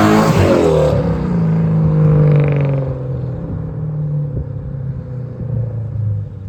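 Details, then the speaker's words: Toyota Soarer 1UZ-FE 4.0-litre V8 after an X-pipe and louvered-core resonators were added: a smooth note climbing through the upper revs, then easing back to an even burble, no rattles. Normal exhaust note under revs. "Still think the pipe size is a little bit big for a 4-litre, but it actually does pull quite well in the upper revs, so yeah, hopefully you can hear some of this noise."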